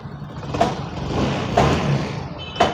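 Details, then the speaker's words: Yamaha Fascino BS6 scooter after fixing a small cut wire that made it die and not crank with the side stand down. It now self-starts readily and idles with a low steady rumble and a few clicks. "Key on பண்ணிட்டு bike பக்காவாக start ஆகுது. ஒரு சின்ன problem தான். இப்போ பாருங்கள், வண்டி ஐட்லிங்கில் தான் இருக்குது."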